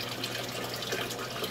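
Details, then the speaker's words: Aquaponics siphon drain on a 100 L system, before a muffler is fitted: steady gushing and splashing water with a loud hiss, no pauses, as the siphon kicks in and dumps into an open tank; noisy but aerates the water. "Well, as you can hear, they're noisy. They splash water around. They do airate the system."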